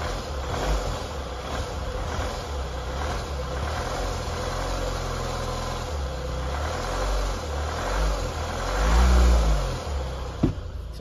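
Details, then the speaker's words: 2023 Hyundai Palisade 2.2 CRDi diesel (D4HB), about 15,000–16,000 km: loose, inconsistent metallic rattle, like a washer, that climbs with engine speed; timing chain failure, with the entire timing chain assembly to be replaced. "noise it's the noise that sounds like almost like a a washer or something's rattling and being sort of inconsistent but it sort of rattles as the engine speed increases"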